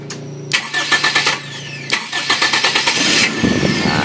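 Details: Starter after adding a relay to the starter circuit (ignition feed to relay terminal 85): two bursts of brisk even cranking at about three pulses a second, then it catches; starter spins strong and healthy.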